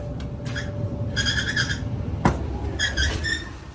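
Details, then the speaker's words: Whirlpool Cabrio dryer, four-prong, running: chirpy high squeaks in bursts over a low drum rumble; worn belt tension (idler) pulley, the usual culprit, fixed by replacing with upgraded bearing pulley. "We got a tension pulley problem. A lot of people come in and they grab belts, but they don't get the pulley. And the pulley is usually the culprit here."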